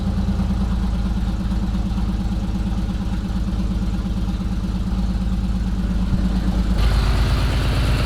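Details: BMW E46 330i first start after overhaul with new intake manifold, CCV assembly and engine mounts: heavy, lumpy idle with unexplained bangs and an uneven low pulse that shifts partway; rough running, one error code stored.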